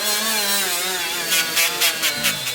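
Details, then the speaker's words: Milwaukee 90-degree die grinder (part 2485-20) with the biggest Scotch-Brite pad: high grinding whine bogs and cuts out in bursts as the pad loads up; grinder stalls, beyond the tool's accessory limits. "and then this is the big dad"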